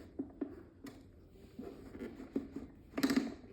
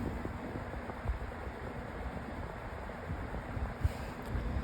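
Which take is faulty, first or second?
first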